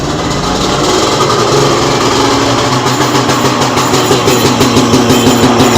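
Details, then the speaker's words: 1995 Sea-Doo Speedster twin-engine jet boat, first start in neutral after an O-ring was fitted at the cooling-water fitting: steady, even two-stroke buzz at a constant speed with no knocks or misses; runs cleanly and healthy. "switch definitely runs guys sounds like it runs pretty healthy too so that's huge progress right there"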